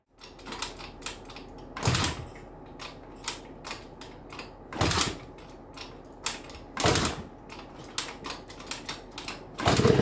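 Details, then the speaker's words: Old Japanese two-stroke scooter on its first start after the carburetor was apart, on fresh fuel, starting in three or four kicks: crackly, uneven running with sharp throttle blips; it briefly cut out, carburetor needs tinkering, otherwise sounds healthy. "admittedly it cut out it needs a little bit of tinkering that's probably the carburetor where I've had it apart but doesn't that sound sweet how good does that sound"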